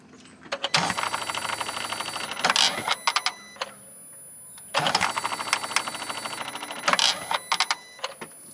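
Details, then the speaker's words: Smart Fortwo 451 1.0L Mitsubishi engine clutch actuator, still in the car: two separate two-second bursts of high, strained electric motor whine full of dry clicking, as dried-out internal lubrication makes it work too hard; failing clutch actuator. "now one of the Dead giveaways that this thing's hurting is just the sound that it makes so listen to this"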